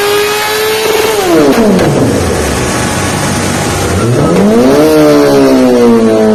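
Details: Honda CBR1000 on a dyno run revs hard through the range, drops off and picks back up, with irregular pops breaking into the exhaust note under load; cause unclear.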